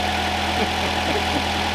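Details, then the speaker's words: Homestead truck just repaired by a mechanic friend, not cranked in a while, now idling with a steady low firm hum, no misses or knocks. Normal smooth running. "I guess you could tell that hadn't been cranked in a while, but as soon as it did, it's running smooth."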